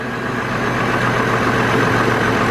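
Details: 2002 GMC Envoy petrol engine idling, recorded outside, with an uneven, slightly lumpy note and visible shake. It runs rough with no power, check engine light on, code P0303 cylinder 3 misfire. It was diagnosed via the ignition coils after an alternator replacement.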